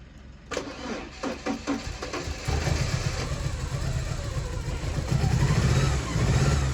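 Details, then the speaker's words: Porsche 944 first start after cambelt change and refitting ancillaries (airbox, alternator): engine cranks a few times, catches, then settles into an uneven, lumpy idle; owner hopes revving will clean the injectors, cause not confirmed. "not sounding perfect, but hopefully a little rev will help clean all those injectors."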